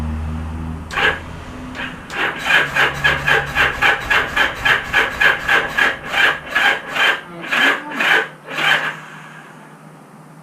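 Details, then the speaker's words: Motorcycle unrun for about 35 years, carb cleaner sprayed in carbs, throttle and choke jammed: starter turns the engine slowly and unevenly, about two strokes a second, fading out; battery jump box too weak. "My battery box is not doing us justice. Wah, wah. Alright, let me charge the battery box and we'll come back."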